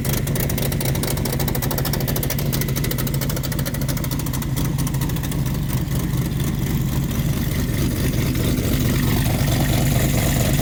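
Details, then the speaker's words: Race engine with broken exhaust header, run after pumping for oil pressure: raw loud running with sharp rapid ticking and rasp on every firing pulse; header leaking, needs welding. "z it's got a broken header somebody needs to learn how to weld or something maybe I can shove it back together a little now anyway I got to weld that up get it better I'll put a little brace on it or something"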